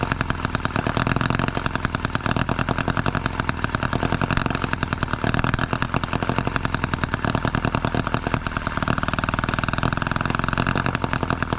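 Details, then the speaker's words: Microcosm H74 engine on the bench, first start by drill after piston ring replacement for low compression, with the radiator not full: fast, sharp firing pulses that sound untuned; it runs but the carburetor needs adjustment (suspected). "I think we do need some carburetor adjustment but there you go it's a runner guys"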